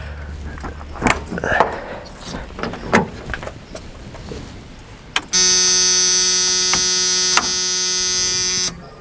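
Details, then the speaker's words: 1991 Chevy S10 4-cylinder with fresh fuel and B12 plus Marvel Mystery Oil additives, key turned on: after handling noise, a steady buzzing hum for about 3.5 seconds, then it stops. The fuel pump primes normally. "I'm gonna turn the key and see if I can hear the pump."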